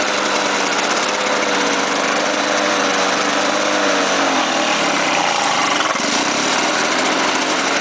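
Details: Lawn-Boy 5127 two-stroke mower, first start after 10 years stored, fouled plug replaced, gas squirted into intake, on choke: buzzy engine runs steadily, dips briefly mid-clip and recovers; fires cleanly and keeps running.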